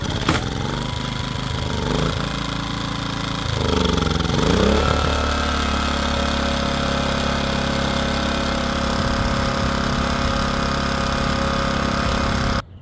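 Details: Powermate PM2000i portable generator after carburetor replacement, first pull start-up: starts on first pull, dips briefly, then settles into a steady hum without surging or hunting; running properly.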